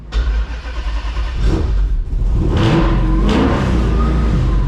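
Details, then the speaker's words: 1972 Dodge Demon with 7.0 Hemi V8, Magnuson supercharger making about 7 psi boost at altitude, Holley management, Aeromotive fuel, modern transmission; revving on load, pitch rising cleanly, no misses or knocks; purring, healthy. "Woo! She's purring now."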